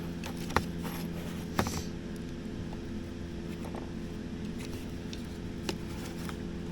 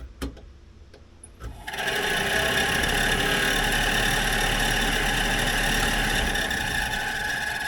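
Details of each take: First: 1964 Dodge D100 heater blower motor on the bench after reassembly: steady low hum with constant pitch and only faint ticks, running much quieter than before its squeal; normal blower motor run. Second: 1964 Dodge D100 Utiline heater blower motor before lubrication: it kicks on and holds a steady high-pitched squeal over the fan rush, suggesting a dry bearing. After it was removed and lubed it ran much quieter.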